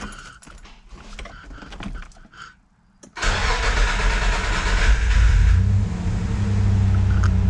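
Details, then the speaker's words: Nissan Navara VG30 after swapping 180cc side-feed injectors for LS2 42lb 440cc top-feed, ECU retuned via laptop, fuel pressure 42: keys jingle, brief crank, catches at once into steady even run, no misses or knocks; running normally. "Well, it's running."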